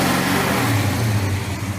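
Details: Engine fired up after ignition timing found at 60° instead of the intended 30° max advance and the balancer remarked: deep, even V8 rumble rising and falling cleanly with throttle, no knocks or misses; healthy engine.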